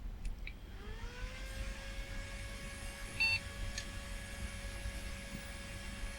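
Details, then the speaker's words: Old flea-market retro PC hard drive, set as master: spins up with a rising whine to a steady hum but no head-seek chatter and is not detected at first. It was later found after the drive was laid sideways. "I don't think it's detecting the hard drive it is spinning I can hear it spinning but I can't hear the head seeking at all"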